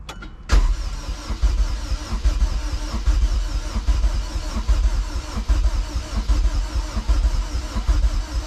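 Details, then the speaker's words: Rebuilt junkyard Honda K24A2 engine swapped into a CRX, cranked over before first start to prime the oil, injectors unplugged: steady, even starter churning with no knocks or scrapes; cranks over cleanly. "but definitely going to crank it over a little bit more to prime the oil"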